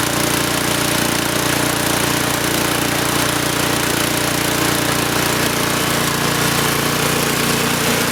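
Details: Troy-Bilt Storm 2840 snowblower, 9.5 HP engine, model 31AH64Q4711, pull-started: loud, even single-cylinder roar at full throttle with no misses or knocks; running normally.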